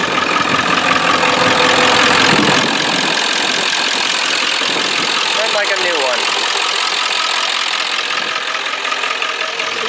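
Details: 1995 Ford F-350 7.3L Powerstroke turbo diesel with a new starter, new alternator and two new batteries, idling without touching the throttle. Even diesel clatter at a steady pace, no misses or heavy knocks: normal, healthy idle.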